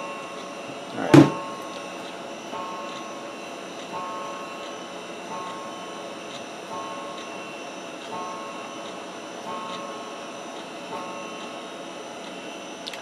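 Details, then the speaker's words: Old 486-class Packard Bell PC hard drive during ScanDisk: one loud knock then faint regular ticks about every 1.5 s over quiet whir; drive has problems; failing hard drive. "Yeah, we have a problem, son. Okay, the drive has problems."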